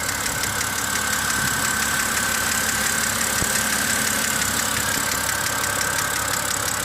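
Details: 2007 BMW X5 E70 3.0si at cold idle: light, sharp hydraulic lifter ticking about three a second over engine hum; likely causes are wrong-spec oil, long oil change intervals and short trips; fix is warm-up with 3000 rpm hold or highway driving.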